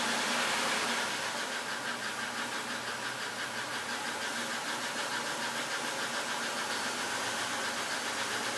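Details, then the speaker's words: 1996 Buick Skylark 3100 SFI V6, nearly 150,000 miles, after switching from part-synthetic high-mileage oil to full synthetic: fast light tick speeding up with revs, drowned out higher up; not plugs or accessories; owner suspects lifter tick. "When it started just the the the day before, it did seem to go away as the car was revved up, but now it'll just speed up with the engine."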